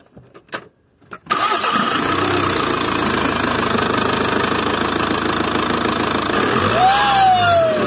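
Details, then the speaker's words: VW 2.0 TDI BKP 140hp diesel, before repair, with a seized-geometry turbo. After a brief crank it idles with a thin high whine, also felt by hand on the turbo's warm side. Turbo fault confirmed; cleaning later failed and a new turbo is needed. "coming from the turbo on this two liter diesel 16 of 140 horsepower BKP engine code"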